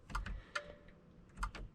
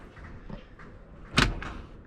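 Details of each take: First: BMW X5 E70 LCI: glove box release gives several sharp, dry clicks with no motor or latch movement after an LED bulb swap killed the light; owner suspects a blown fuse; glove box won't open. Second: BMW X5 E70 (LCI, 2011+) glove box after replacing the blown 10 A fuse number 2, which blew while swapping the glove box bulb for an LED: quiet click then a sharp latch pop as the box drops open at the button press; normal release.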